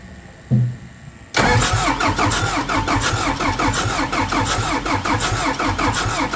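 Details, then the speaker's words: Hyster R80 forklift diesel, ran out of fuel and won't start; injector removed and laid out while cranking: starter churns rhythmically, never catches, injector not spraying as the injection pump can't reach the 3,000 PSI opening pressure; pump-shop repair suspected. "Oh, how'd we do? No, it's not spraying really."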